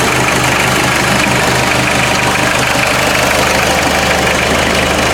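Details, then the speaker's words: 1986 Ford Escort diesel warming up in cold weather after fuel system repairs for stalling and no-start; even clatter, steady rhythm, no stumbling or surging: normal idle. "glad she's running I think I might just let it warm up and then turn the key off and try to restart it and see how quickly it'll restart"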